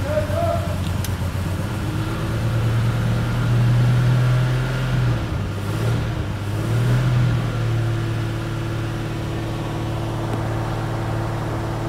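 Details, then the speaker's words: 1954 Armstrong Siddeley Sapphire 346, first start after new points, cleaned carbs, reconditioned starter and fan belt: it catches after cranking and settles into a steady, even, smooth low drone, running clean. The ammeter shows charging and oil pressure is coming up. "alive running very nice and clean too we've got amp charging clock doesn't work yet we've got fuel temperatures climbing oil pressure is coming up"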